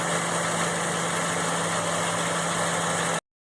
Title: F150 ticking sound (idle)